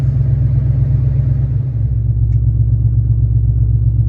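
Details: 2019 Dodge Charger Hellcat idling just after a lightweight lithium battery was installed: steady, even low rumble with no knocks, misses or whine; the engine idles smoothly and is healthy.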